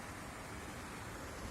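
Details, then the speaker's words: SAIVOD DHX-20 propane dehumidifier after tightening the fan nut with centred washers, tank fitted: steady even rush of air with no scraping or ticking, fan now spins smoothly without rubbing. "Bueno, puesto el depósito, gira."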